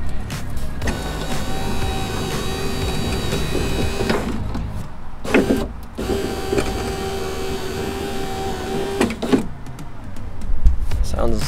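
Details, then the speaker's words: BMW E46 coupe passenger window after regulator replacement, ignition on: motor gives a smooth, steady whir for a few seconds each way as the glass travels, ending in a soft stop with no grinding; regulator working fine. "Sounds like the regulator's working pretty good, so let's go."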